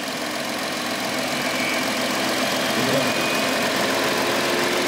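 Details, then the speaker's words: Audi Q7/Porsche Cayenne/VW Touareg with fan override switch, engine idling; steady rushing whoosh builds over a few seconds as the larger passenger-side radiator fan, over the transmission cooler, is forced to full speed. "so what that does is it bols the fan onto Max Speed so and it's just I just chosen the larger fan on the passenger side"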